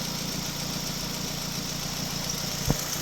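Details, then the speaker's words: 2006 Nissan Sentra 1.8 L at idle after P0302 misfire repair: a constant thin, high chirp over the steady engine note, like a squeaking belt; owner suspects the low-sitting tensioner pulley. "Hear the squeak? You hear the squeaking? I'm still hearing a little squeakiness, and I think it's because of the pulley."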